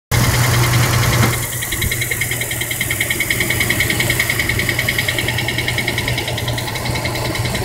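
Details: 2003 Dodge Durango with a used replacement engine: rapid light tick about three a second over a rough idle, caused by low transmission fluid; adding fluid cured it.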